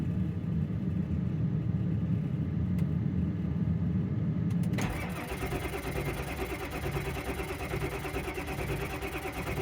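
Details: Ford F350 just collected from a Ford dealer, cranked at home: starter turns the engine over at a slow, uneven rhythm and the sound changes but it never catches; cranks, no start, fuel confirmed present.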